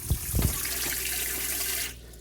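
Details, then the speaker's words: 1972/73 Columbia 30 boat water system during pump repair, pump hooked up with pressure on: steady hiss of water from the tap about two seconds, then clean cutoff; pump delivering normal flow. "okay so i've been working on the uh pump right there just kind of hooked up you know water pressure on sounds like i have the water ready"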